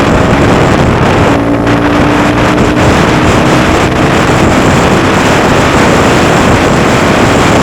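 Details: Honda Grom at speed after DHM S1 camshaft install with aftermarket exhaust: buzzy single-cylinder drone holding steady speed under heavy wind rush, pulls strong; reaches speed quicker and holds the 60s stronger; normal running under load.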